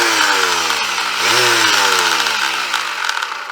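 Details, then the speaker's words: Vintage double-insulated electric sander that passed the tester: a buzzy whirring motor with a coarse rattle, pitch swelling then sagging as it winds down. Runs a bit rough but still works. "yeah it sounds a little bit rough but it's still working"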